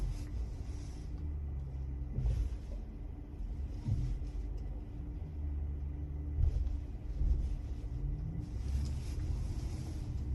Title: 22 polestar 2 performance making a knocking noise when turning at low speed